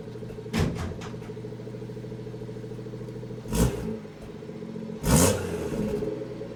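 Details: BMW M240i B58 after catless VRSF downpipe install: low idle hum that is uneven, with occasional surges and stumbles every few seconds; rough idle, cause not yet known.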